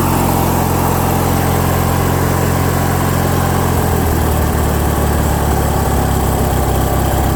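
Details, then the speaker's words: Craftsman lawn tractor with a Briggs & Stratton opposed twin engine, after carburetor jet cleaning, choke on, throttle halfway: steady, even note with no hunting or surging. It idles a bit high and the idle screw needs backing off. Surging fixed. "so that did the trick guys usually it does"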